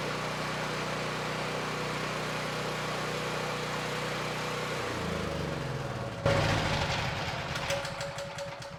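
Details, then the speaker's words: Black Max 8750 generator with a Honda GX390 single-cylinder engine, after a carburetor rebuild and reinstall; a steady hum that shifts pitch as the choke comes off, then stays smooth and settles; runs cleanly. "Okay, so it's smooth, it sounds good. So the rebuild on the carburetor worked well,"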